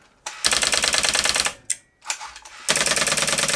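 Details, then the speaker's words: Rotary phone loop connected to two relays; dialing a number: bursts of fast even relay clatter, about ten clicks a second with gaps between digits; fast relay flaps with the 100 ms pulses while the slow one stays held, normal. "You'll notice this when I pick up the phone, both of them go down. However, when I dial a number, this one flaps around like crazy and this one doesn't do"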